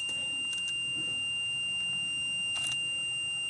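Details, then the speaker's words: 2008 Workhorse Adventurer Limited 37GL UFO/R26 motorhome, HCU brake system: a continuous high-pitched buzzer as brake pressure drops to zero, relieved via toolbox software during HCU removal with fuses pulled. "So now using the software, toolbox software, I'm going to lower or remove the pressure in the brake system, and you'll hear it."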